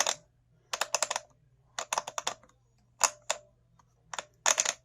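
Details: Arrma Vorteks RC truck, quick bursts of sharp, dry clicks from the drivetrain with quiet gaps over a faint hum; very loud when running and it binds up at one point. Cause unknown.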